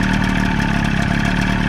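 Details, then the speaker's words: Evinrude 25 hp outboard on a flatboat after kill switch and two switch wires were replaced, running on a water supply with oil mixed in the gas: steady, even two-stroke buzz at fast idle with no misses; runs properly, though one listener notes a slight knock. "Now we're just gonna see if it fires up. Awesome. Oh yeah, baby. Sounds good."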